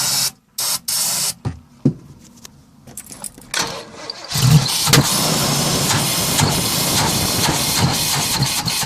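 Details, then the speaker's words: 1990 Chevy 454 TBI V8 in a Fleetwood Pace Arrow motorhome, cold start on a weak battery: short cranking bursts, catches and runs ragged on starter fluid, then stalls. "I can start it with starter fluid, and if I pump the pedal I can keep it going, but it just stalls out."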